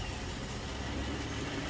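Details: Toyota Tundra 2012 (an LS430 is also mentioned) with a starting problem attributed to the fuel pump ECU: quiet, steady idle with a smooth, even low drone, no stumbles or knocking; normal idle.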